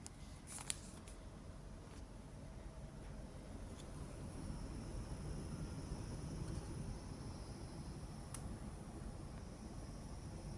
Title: xfx swift rx 9070 xt gpu fans making a humming noise on almost all 3 fans not coil whine